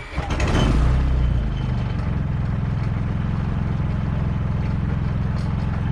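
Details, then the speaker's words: Predator 3500 generator with newly installed remote start/stop kit (kit pulls the choke, generator left on run), test start from next to the shed: engine catches within about a second and settles into a steady, even drone; normal start and run. "From over there next to the shed, right by the thermometer, I stood and tried to start the generator, and it started with no problem."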